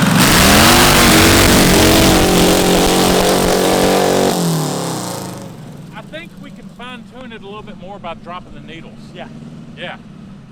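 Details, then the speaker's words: Custom go-kart with transverse V8 (about 900 lb with driver), hard revving: rises smoothly low down, then turns ragged and stuttery; engine breaking up at mid-to-high RPM, owner suspects needles need dropping. "It sounds like it's still breaking up at kind of the middle high."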